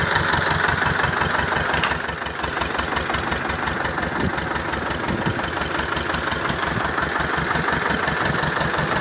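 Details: T-25 tractor diesel engine after repair, normal idle: steady, even diesel clatter at about three beats a second, smooth and unchanging; healthy small tractor engine.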